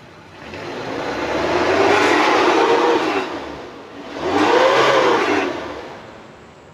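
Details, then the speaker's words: 2000 Suzuki Carry Carreta 1.0 revved twice: smooth rises and falls with even clean exhaust note, no knocks or misses; engine sounds normal. "Bagaimana suaranya masih oke Masih normal kita naikkan rpm-nya juga masih normal suaranya masih oke"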